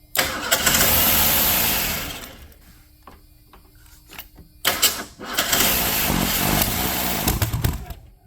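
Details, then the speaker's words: 1979 Mustang sitting 32 years, carburetor refitted: uneven cranking about four beats a second. "Blowing smoke out, but it sounds extremely labored to me."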